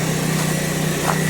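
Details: Mitsubishi Evo 2 with swapped Evo 7 big-turbo engine, after power steering hose repair: steady, even idle with a smooth low hum and no knocks, ticks or whine; engine sounds healthy.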